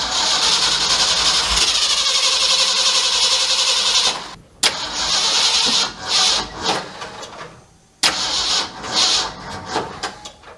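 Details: 1967 Mercury F-250 drag truck V8, plug wires moved one over: starter cranks, engine catches and stumbles unevenly, dies and is cranked again; ignition timing well off.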